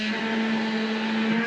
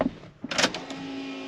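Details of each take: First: Inline fuel pump on a turbocharged stock Vortec 350 small-block Chevy, mounted on the rail under the driver's seat, pulling fuel through the original in-tank pump; steady, strained mid-pitched whine with slight wobble; owner suspects cavitation, planned fix is a new half-inch suction tube in the tank. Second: Turbo Vortec 350 small-block Chevy fuel pump, just fed by a new 5/8 in tank suction tube into half-inch fuel line: a couple of clicks, then a steady, even mid-pitched hum without surging; normal fuel pump operation.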